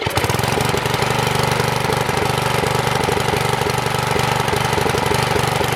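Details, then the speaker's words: Troy-Bilt tiller small engine, previously seized, unchoked: runs ragged, firing stumbling irregularly about three a second, then dying; owner suspects fuel starvation from float and bowl. "so it runs ah the carburetor it was unchoke and started dying so obviously he's not getting enough fuel"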